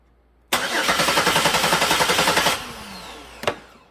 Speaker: So it's got a signal from this crank signal 2, so it's got to be a failed crank sensor. It can't be an open wire, otherwise I'd have 0 volts on that wire